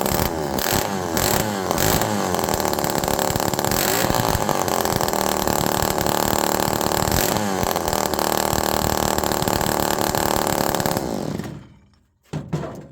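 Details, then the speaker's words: Homelite Super Mini two-stroke chainsaw with low jet at 2.5 turns: surges and sags unevenly around idle without settling, then cuts out; overly rich erratic idle, initial air leak suspected but not confirmed. "That is so rich that this thing should be dying, okay?"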